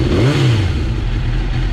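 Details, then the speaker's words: Rebuilt Suzuki GSX-R motorcycle, 37,000 miles, after starting with no error codes: short strong throttle blip with a deep even exhaust note, no rattle or miss; loud but healthy, normal revving. "sounds great yeah that'll wake up the neighbors"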